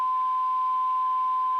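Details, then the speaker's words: 1954 Regentone Auto 99 radiogram alignment with a 470 kHz IF signal generator and AF meter across the speaker: clean, steady test tone at maximum output, coils already spot on. "So we're just looking for maximum audio output. That's just across the speaker. So that was already spot on."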